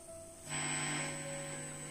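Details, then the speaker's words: Philips cassette recorder, single deck: steady low hum plus motor whir on play but no tape sound from either side; playback signal missing. "现在它的故障呢是这个仓室没有声音我们可以放一下我们只能听到嗡嗡声"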